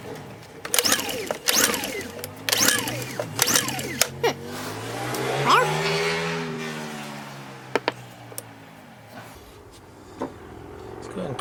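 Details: Honda EU2000i generator of unknown hours, choke on, after cleaning the carburetor bowl and pickup tube: sharp ratcheting recoil pulls, then one short surge that dies away. Fuel is present; carburetor or fuel pump suspected. No start.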